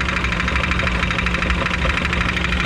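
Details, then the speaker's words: Ram ProMaster van idling, heard from underneath with the van raised: steady, rapid, loud knock resembling rod knock, actually from a broken torque converter flex plate. "what this is gonna be though this is not gonna be a rod knock uh we'll shut the engine off and i'll show you what actually is making the noise it's gonna be the torque converters flex plate"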